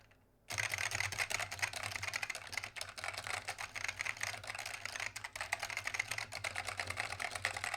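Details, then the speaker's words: Keyboard with SKBM Alps switches: rapid clacky keystrokes with a loose, rattly bottom-out on each press, typical SKBM Alps rattle. "Yeah, you can hear it rattle quite a lot, actually. It's typical of your SKBM."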